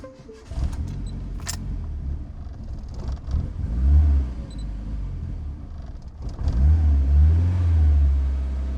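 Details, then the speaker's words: Project car on a new base map, during fuel pressure regulator adjustment, battery getting flat: engine surges and sags in uneven bursts and won't hold idle, as if on a bad cold start. Cause not confirmed. "Um, can't get the car to idle. Can't get it to run. It's like it's on a real bad cold start."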